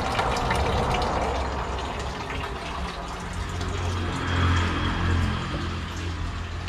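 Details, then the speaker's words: 220 V, 200 W electric water pump after its failed start capacitor was replaced, with water flowing. It has a steady low motor hum with water rushing and splashing: normal pump running after the repair. "ตอนนี้ปั๊มทำงานปกติแล้วครับสรุปก็คือสาเหตุเกิดจากตาปลาเสียนะครับ"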